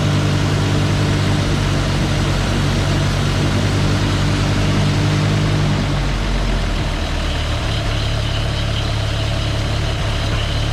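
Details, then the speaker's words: CCKW truck at idle: steady low rumble with an even beat, no puffing or ticking; the earlier exhaust leak is no longer heard. "Sounds good. I don't hear an exhaust leak anywhere. out here like it was."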